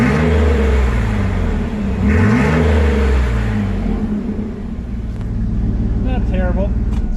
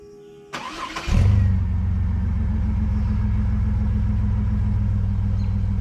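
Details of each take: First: Stock 4.3 V6 2003 Chevy S10, 269,000 miles, muffler removed: loud, raw V6 rumble with deep throaty drone on revs, no muffling; straight-pipe exhaust. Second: Chevy S10 work truck, just after welding in a new 18-inch 409 stainless Total Flow muffler: starter cranks briefly, catches and settles into steady, deep, even idle with smooth low rumble; normal idle.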